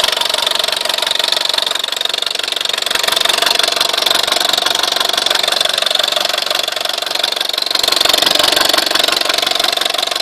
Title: Weird noise on my VW Scirocco 1.4 TSI engine